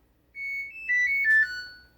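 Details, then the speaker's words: Samsung dishwasher after clearing LC leak code and draining itself dry, switched off with door open: short rising-and-falling four-tone electronic melody plays once; normal power-off chime. "It'll make a nice noise."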